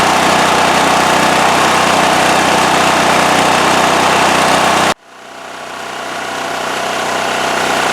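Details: Westinghouse WH7000EC 7,000 W electric-start generator, serial starting 10, running with its completely plugged spark arrestor removed from the exhaust: steady, even buzz at constant speed, then cuts out abruptly; smooth run, no misses or hunting, healthy.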